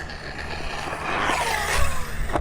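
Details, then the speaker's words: Typhon RC truck on 6S lipo bashing at a motocross track: a loose, gravelly rattle rising and falling with throttle over the motor whine, like rocks shaken in a bucket. Gear clatter from a broken input gear missed during the rebuild. "Man, this thing sounds like somebody's shaking a bucket of rocks coming at you."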